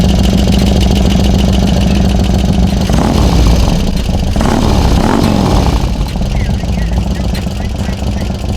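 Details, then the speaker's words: 2002 Harley FXDX V-twin idling after lying on its side, with a rattle earlier from the primary. Oil starvation from lying on its side is suspected. Loud lumpy idle with light, fast valvetrain ticking on top. "do you think somebody's laying on the side for so long that there's no oil in the engine that's why it's ticking"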